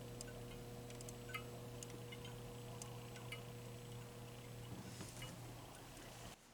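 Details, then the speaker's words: Bally Monte Carlo electromechanical pinball machine, its flasher bulbs blinking on their own. Faint, uneven ticks over a steady hum come from the bimetal filaments snapping open as they heat, which is normal. "so you can hear the little filament clicking inside as it opens up so it's just uh it's just Again part of the the charm that that is lost right"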